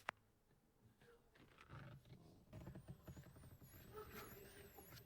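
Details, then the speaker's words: Honda CR-V RD1 off the road for over seven years: car switched on while a faint, high, warbling electronic tone keeps sweeping up and down; the immobilizer alarm sounds constantly, alongside central locking faults, cause unknown. "The immobilizer keeps going off. I can turn on the car, but as you can hear in a second here, the alarm is constantly going off."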